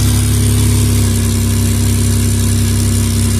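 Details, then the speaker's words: Minivan idling after the exhaust pipe was refitted into the joint and the hanger lined up. It has a smooth, even low rumble with no ticking or puffing from the joint, so the repaired exhaust is sealed, quiet and not leaking. "We're gonna see how quiet it is. We're gonna see where it's leaking from. Oh, it's so quiet. Oh my goodness, it's so quiet."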